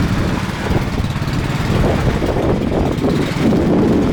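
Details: Craftsman snow blower (customer's) after cleaning and reassembly with a replaced seat: small engine settles into a steady, even putter with no surging or misfires; it is running healthy now.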